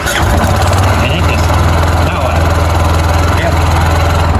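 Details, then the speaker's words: Yamaha Fazer motorcycle that won't start on the electric starter despite three replacement relays: turns over, then catches and settles into a steady, even low idle once the starter button's ground is jumped. Fault: no negative reaching the relay from the start button circuit. "Quando aperta ele não vem negativo para cá"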